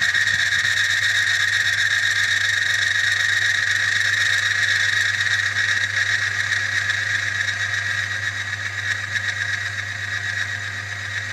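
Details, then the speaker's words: Friction tester, 1 pound load reapplied: steady high-pitched squeal over constant motor hum, friction between pulley and test steel; friction noise under load. "Dekat sini kita boleh dengar bunyi geseran yang telah berlaku pada bahagian puli ni dan besi yang bahagian untuk test untuk geseran ni."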